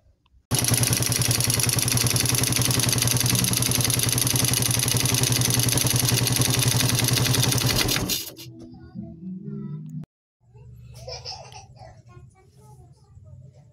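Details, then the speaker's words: Yamaha Jupiter Z1 motorcycle before rebuild, complaint of a too-rough engine: harsh, rattly clatter on the firing beat, loudest at the piston area, also from the crankshaft area and clutch housing; worn piston rings and crankshaft bearing. "untuk di bagian suara yang paling terdengar yaitu di bagian e piston ya di bagian daerah sini itu sangat kedengar suaranya ya eah Kemudian dari tengah ya dari bagian sokar juga terdengar suara"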